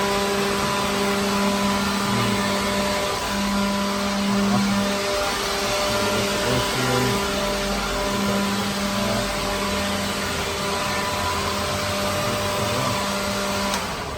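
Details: Pawn-shop leaf blower clearing loose particles from a truck trailer floor holds a steady motor whir and even fan tone, with no surging or rattles, and gets most of the big debris out in one pass: normal running.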